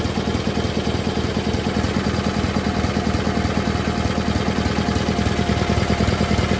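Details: GT/18 twin idling low without choke after new ignition system (coil not original), charging system working; steady even thumping idle, no misses. Runs better than before, still needs carburetor tune. Normal idle.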